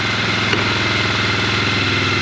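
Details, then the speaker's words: 2003 Polaris Sportsman 400 after valve adjustment and reassembly, choke off; fast steady single-cylinder putter at idle, no tapping or misses; idling healthy. "Holy cow, and it sounds good! Wow! It sounds really good! That's a choke off, that's idle. It is really running nice."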